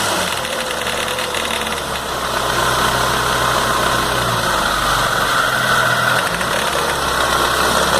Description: After rebuilding noticed this rattling noise , eventually coming from idler gear (MG 1300 engine)